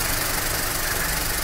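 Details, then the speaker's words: Skoda Fabia with overheating and AC not working because radiator fan didn't run, after replacing the fan relay: steady idle under constant rushing whoosh of the fan with no stutter; cooling fan running normally. "ये देखिए replace करने के बाद हमारा problem solve हो चुका है देखते हैं"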